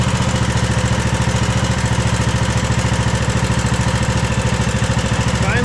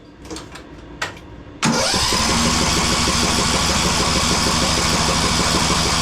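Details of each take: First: Craftsman DLT3000 lawn tractor single-cylinder engine after swapping to a cleaned Walbro carburetor that cured backfiring and surging; idles at a steady, even beat around three and a half firings per second, smooth and settled. Normal idle. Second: Craftsman DLT3000 lawn tractor after new coil, fuel filter and shut-off valve, jump-started: cranks, catches, runs uneven and lumpy, stalls, restarts and stumbles, backfiring through the carburetor; rough running engine with carb problems.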